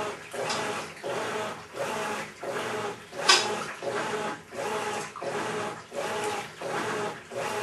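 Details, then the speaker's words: Maytag Centennial Commercial Technology washer, about 14 months old, just past one-year warranty, deliberately overloaded for demo: rough gritty grinding like gravel in a cement mixer swells with each agitator stroke, about 87 a minute, over water slosh, during wash agitation. "high-quality American brand washing machine sounds like it's grinding up a load of gravel"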